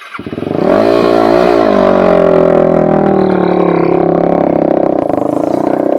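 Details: Quadracer LTR450 single-cylinder that won't take throttle and backfires: revs rise briefly, then sag to a flat, strained drone, feeling like it's taking no fuel; the fuel filter is suspected. Fuel starvation.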